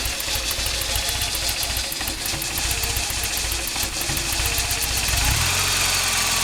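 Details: Toyota 22RE engine idling warm: slow, uneven idle with faint ticking about four per second; it sometimes dies at stops. Cold idle is fine. The distributor was just cleaned and Seafoam sprayed into the throttle body; cause unknown.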